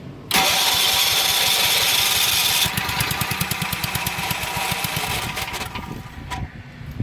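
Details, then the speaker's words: Long-unused RV onboard generator with choke in: starter spins, then steady rhythmic cranking at about four pulses a second without catching; cranks but won't start. "All right, so this thing has definitely not been ran in quite a long time."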